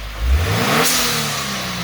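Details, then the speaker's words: 2018 Subaru WRX with new GFB blow-off valve, spring preload adjusted: quick rev then sharp hiss as throttle closes and revs fall; blow-off valve vents and shuts cleanly. "so you hear how you can hear the sound of the blow-off valve and it's right before it starts to come down on Rev you can hear it shutting and I think that's probably where we want it to be at for right now"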